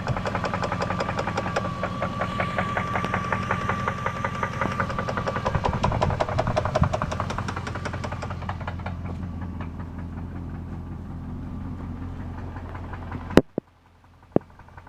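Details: 1999 Jeep 4.7 V8, 214,000 miles, oil pressure good: a steady knock at idle seemingly from the bottom of the engine; the cause is suspected, not confirmed.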